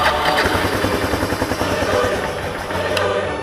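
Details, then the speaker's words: Kawasaki KLF300 quad's single-cylinder engine catches and settles into an even idle with no backfiring through the carb, after the keyway was fixed and the starter clutch replaced; timing unchecked, fuel on reserve. "Nice! Nice, it starts."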